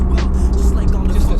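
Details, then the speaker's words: Nissan S14 first drive after fitting a 2-way diff, solid mounted: faint steady hum under cabin road noise, a whining rear differential not there before. "I can hear the diff whining. That's something I can notice."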